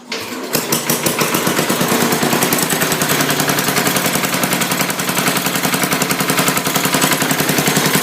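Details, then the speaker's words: 1968 Sears hydro tractor after the rod and crank were replaced: a sharp, regular rapping of three to four per second persists. It burns no oil. The owner now suspects piston slap. "don't know if that was part of the problem, but it's still making the same noise, guys. So my new theory is I think it's piston. It's got piston slop."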